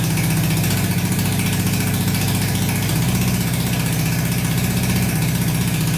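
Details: Barn-find Honda CB350 (1970/1974 stated) that sat for years, not previously running; with more fuel added, even steady low thrum, both cylinders pulling, pipes hot, no misses or stumbles: normal running.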